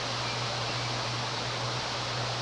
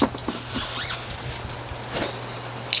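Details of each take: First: 1993 Homestead Aero 58-inch ceiling fan, plastic blades: steady airy whoosh over faint low motor hum at high speed, no ticking or thumping, zero wobble; running smoothly. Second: 1993 Homestead Aero 58-inch ceiling fan on full speed: a steady low motor hum under the airy rush; the bearings are somewhat worn but smooth.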